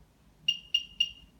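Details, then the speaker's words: Cinestar multicopter powered up on a level surface, left stick held to calibrate the gyros: three quick high beeps about a quarter second apart from the flight controller confirming gyro calibration. "it until you hear the beeping from very copter and then return it to its original position that just calibrates the gyros"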